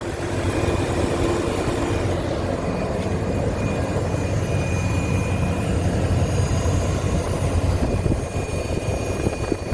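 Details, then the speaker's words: Nissan VK56DE 5.6L V8 at idle: thin, steady high whine over the rumble, like a bad belt or pulley, actually from a failed aftermarket AC Delco oil filter two months old. "you guys have a vk56 motor and you have an engine noise that sounds like this almost sounds like it's a belt or a pulley that's gone bad but in reality it's your oil filter"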